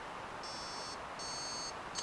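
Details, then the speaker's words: Prusa XL 3D printer after buddy board swap ruled it out: two long high beep bursts then a short chirp over quiet room hiss; reset error alarm on reboot, cause still unknown, splitter board next suspect. "Alright, it is not the buddy board. This is going to reboot and freak out."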